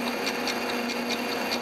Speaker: One of them's just barely touching right now. I may take another thou just to clean them all up real good, but I can hear that even click, click, click.